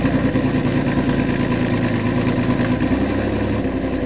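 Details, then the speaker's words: Hydrolocked Chevy Cavalier 3.1 running again, oil not yet changed and the dipstick overfull with water, on a makeshift battery setup: steady, even engine note with a clean rev and no knocks or misses; running smoothly. "Oh, I can't. It runs perfect. You can't believe it."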